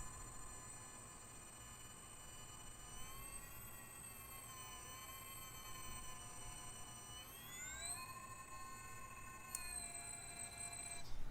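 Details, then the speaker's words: SCX24 crawler with Surpass motor and Castle Micro Sidewinder ESC: high electric whine rising and falling with throttle over a faint rough undertone; some binding in the drive suspected, not confirmed. "got some kind of binding going on in there"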